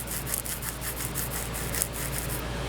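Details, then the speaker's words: Dodge Neon throwout bearing removed from the car, turned by hand: gritty, rasping crunch pulsing about six times a second from a worn bearing with broken tangs. "you can hear that it's really crunchy and uh they all end up kind of sounding like that after a while"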